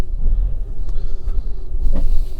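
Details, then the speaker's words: Fiat 500 after clearing fault codes, intake pressure sensor already changed: lumpy uneven idle with a deep shaking rumble and occasional sharp knocks; still shaking; rough running of unclear cause. "no fault cut no it's still shaking a lot of good"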